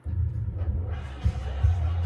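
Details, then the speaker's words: Cassette playing in a player with good idlers, cassette pad just replaced: dull, bass-heavy music wavering and sagging in pitch, stalling; pinch roller and capstan lack grip, likely oily layer on cassette. "See, has a lot of trouble with stalling out, and just sounds all warbly and whatever."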